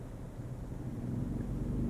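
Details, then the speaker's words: Ryobi 2300 peak / 1800 W continuous inverter generator, remote-started via Bluetooth app with ONE+ battery, carrying over half load: steady low hum firming as load comes on, no surging or hunting; normal running. "Load kicked on it's at half load. Wow! I'm really happy with this result! I was really skeptical how this thing was going to operate but I just started this generator remotely with over half a load."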